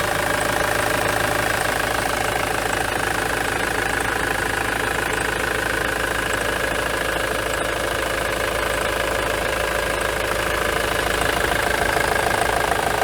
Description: Short video of a Ford Transit with a Misfire at idle and partial throttle or light loads fitted with a 2.4 TDDI Diesel duratorq engine.